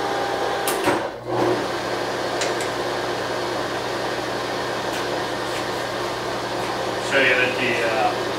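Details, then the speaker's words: Bridgeport mill with step pulley head, 9x48 inch table and power feed, from a working shop: head run forward and reverse, high and low, with steady even motor hum, no knocks or grinding; runs smoothly. "I'm gonna go ahead and run the head right now and just let you see it run, hear it run. Forward, reverse, high, low."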